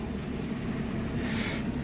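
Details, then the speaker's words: 1965 Ford Mustang coupe, inline six with three-speed manual and soft single exhaust, idling just after start: steady low rumble with an even beat and no knocks or ticks; runs well. "Alors, évidemment, elle est elle est elle a sa petite ligne d'échappement simple, très douce, on entend ici. Voilà, ça tourne bien, ça pète bien."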